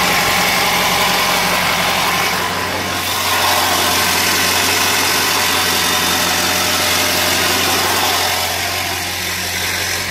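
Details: 2000 Ford 7.3L diesel at idle: loud clatter with an uneven, lumpy beat rolling through it; rough idle, cause not yet pinned down.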